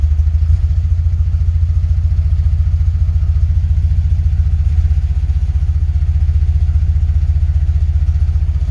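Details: 1975 Porsche 914 1.8L with carbs at base settings, new fuel pump and centrifugal distributor: low thumping idle with uneven beats and occasional soft miss, suspected on bank one; rough idle.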